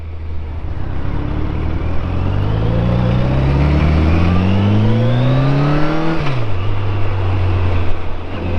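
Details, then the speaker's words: Auction-bought motorcycle, believed inline-four: clean, even engine note climbing steadily through revs with crisp shift, no knocks or misses; runs smooth, transmission tight, pulls well, normal running. "I gotta admit, this thing's running pretty good. Engine feels smooth. Transmission feels tight."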